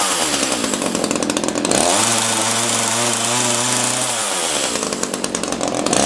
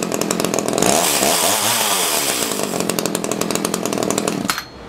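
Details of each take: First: Echo CS-330T top-handle chainsaw, rough-running, oil-leaking and unused for years: at full throttle it screams and sags, revs hunting as if lean up top. Suspected to need a carb kit and richer high-speed adjustment. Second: Echo CS-330T top-handle two-stroke chainsaw, unused for years, after old gas containing water was replaced with fresh gas: crisp buzz revs up and holds steady with even firing and no stumbles; now runs pretty good.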